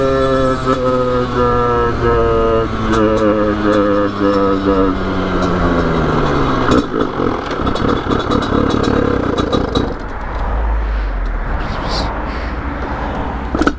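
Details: 2020 Sherco SM-RS two-stroke 86cc stage 6 kit, 32 carb, riding on road: engine note sags steadily lower then cuts out, leaving road and wind noise; engine losing power, attributed to blocked exhaust.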